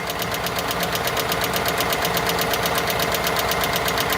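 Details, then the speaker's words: 2018 Ford F150 5.0 Coyote V8 4x4 sold as having a bad engine; idling with fast crisp even tick matching rpm, heard low on the engine, thought not injectors; sounds like a top-end tick, owner hopes it is dirty oil. "That sounds like top end to me."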